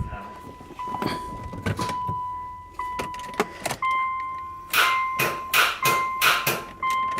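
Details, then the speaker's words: Subaru Legacy GT wagon with a Type RA short block, first start after engine reinstall, cranked in 15-20 second bursts: starter whines with harsh metallic clashing on each try, as if hitting something; cause not confirmed. "like the starters hitting something yeah it does"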